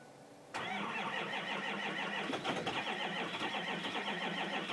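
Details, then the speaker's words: 2005 Ford Powerstroke 6.0 diesel cold start; the block heater had been plugged in about five hours, but a breaker blew. Steady, rapid starter cranking that never fires: long cranking, no start. Cause not confirmed. "6-liter cold start. Hopefully she goes. Got to go for injector check. And it's not starting right."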